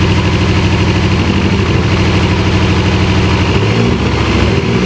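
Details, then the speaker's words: Dodge Caliber that won't run right after coil wires were cut and reconnected: loud, uneven idle with a lumpy, stumbling beat and irregular low thumps. A cylinder is suspected not firing, cause unconfirmed, engine misfire and rough running. "It was so much louder and like, I mean, it was sounding like a rapping. Something's not firing. Huh? Something's not firing, like a cylinder."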